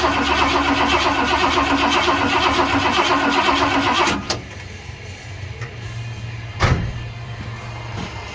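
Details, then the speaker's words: 1978 Ford F100 Cleveland V8, unstarted for 6 years, after too much fuel poured in: starter churns rapidly about four seconds with no firing, then quits; flooded engine cranks but won't catch, spark and fuel line checks planned. "I don't think it's going to go easily."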